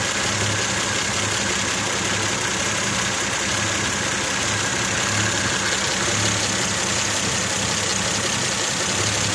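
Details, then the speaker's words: Mazda 626 idling, fault code present: uneven lumpy idle with slight stumbles, vibration felt inside the car, gauge needle shaking with the car; rough idle, cause not pinned down. "You can feel even inside the car, resting my hand on here, it's kind of vibrating."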